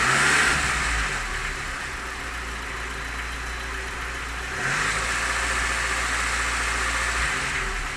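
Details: Lada Niva engine knock: the engine revs up and settles twice, with a rapid tapping knock under the note as revs rise; the owner asks what it is, cause undetermined.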